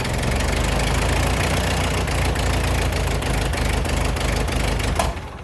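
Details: Ford 8N tractor that sat 10+ years in a field, running after carburetor adjustments with the float height not yet set: a fast, steady, lumpy chug that never drops to a slow idle. High idle.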